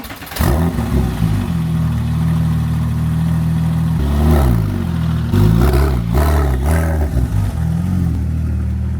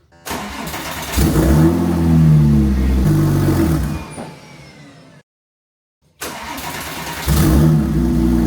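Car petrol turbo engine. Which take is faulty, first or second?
second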